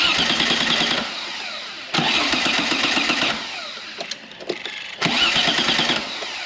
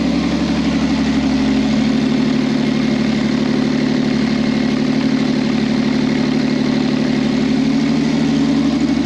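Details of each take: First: V6 trike: three bursts of steady starter cranking at around 200 per minute, never catching; the fuel pump cannot be heard or felt running and was found seized, so it cranks but will not fire. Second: V6 trike that wouldn't start, running after its fuel pump connections were replugged: loud, rapid, even open-pipe burble holding a steady idle before switch-off; engine running smoothly.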